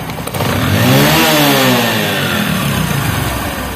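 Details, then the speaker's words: Bajaj Discover motorcycle after carburetor tuning to cure a thak-thak engine noise at rpm: the throttle blip climbs cleanly and settles, smooth with no tapping or rattles; the noise is gone. "তো bikers দেখুন এখানে কিন্তু কোনো sound নেই, একদম 100% accurate আছে।"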